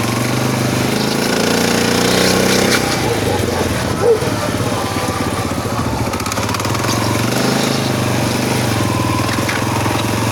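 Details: SF Moto 500 engine running loud and rough, with an uneven rattling knock and a gritty grinding undertone throughout; internal knocking and grinding, cause not yet found.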